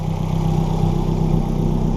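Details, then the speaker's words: Nissan GTIR turbo engine idling just after its first start following a clutch and lightened-flywheel replacement (3-puck clutch); no leaks, only leftover coolant, and the AFR reading went lean. A steady, even low idle with a smooth pulse and no ticks, misses or hunting: healthy. "there's a startup and then she is alive right now she's on it seems good"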